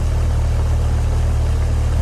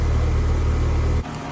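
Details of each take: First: Outdoor AC condenser running but not cooling: fan whoosh and hum heard with no low compressor growl; the compressor is not running because the dual-run capacitor failed, reading bad instead of the rated 40 and 5. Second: Home AC outdoor unit, running but not cooling, dual-run capacitor checked, cool morning; compressor starts with loud high-amperage growl then settles into steady even hum, no rattles; system now cooling normally.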